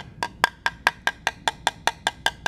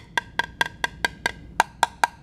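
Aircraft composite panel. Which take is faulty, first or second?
first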